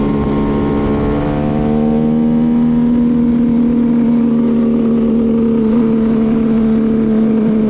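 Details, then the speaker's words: 1974 Kawasaki H1 Mach III with H2 750cc two-stroke triple: idles cleanly but engine holds flat droning note and bogs when revved or held; owner suspects restrictive air filter material. "it's running much cleaner and idling great but it's it just bogs out like even listening to your red gra it if I but if I hold it it's like I don't know what's going on I wonder if those filters I wonder if those air filters are bogging it down because of the material"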